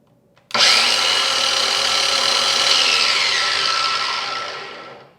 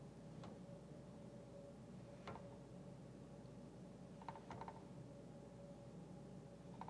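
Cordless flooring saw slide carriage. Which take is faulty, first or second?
second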